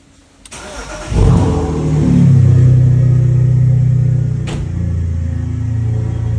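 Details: BMW E46 330Ci cold start: engine cranks and catches, then a steady droning whine over the high cold idle as revs settle; whine source unknown.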